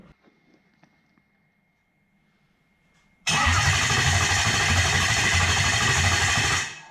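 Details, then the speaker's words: Toyota 1UZ-FE non-VVTi V8 conversion with Link Extreme ECU, cranking after adding battery voltage; about three seconds of fast, even cranking, ECU reads good 200 rpm: normal cranking. "So we can see we're getting good RPM, 200 RPM."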